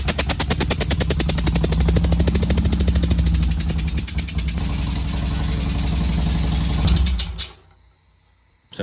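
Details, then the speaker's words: 2007 Harley-Davidson Nightster XL1200 V-twin with a blown head gasket on one cylinder, visible separation at the head; runs with a loose, rapid lawnmower-like popping beat about three pulses a second, then fades out, before top-end rebuild. "give you guys a sneak peek as to what it's doing and how funny it sounds so just laugh with me not at [Music] [Music] me sounds like a bit like a lawn mower I"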